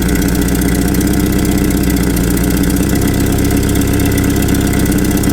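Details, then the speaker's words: Land Rover Series II 2.25 petrol, Weber carb, after the idle was set too low and stalled. Idle raised slightly: even, unhurried idle with a steady low rumble, no hunting, not nearly stalling. Normal idle; owner thinks 600–800 rpm is typical. "Speed that up slightly so she doesn't stall again. So that sounds better to me. Not running quite as fast, also not now nearly stalling."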